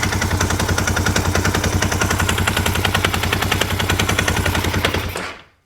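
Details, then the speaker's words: 1998 Honda Recon 250 ATV just after top-end rebuild (new piston, rings, cylinder, redone valves): hard rapid metallic knock at idle, worse under load holding brake; source unclear, front or cylinder, owner suspects timing chain, unconfirmed. "Oh man. I want to say it might be the timing chain or something. I don't know, it sounds horrible."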